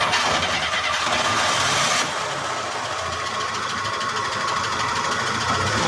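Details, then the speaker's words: 1949 Studebaker Champion that keeps stalling: running with a hissy, slightly uneven beat of about three per second and a squeak. A throw-out bearing or vacuum leak is suspected, unconfirmed; the throttle was also sticking and needed a return spring. "trying to figure out what that squeak is sounds like a throw out bearing yeah it sounded like a vacuum leak to me"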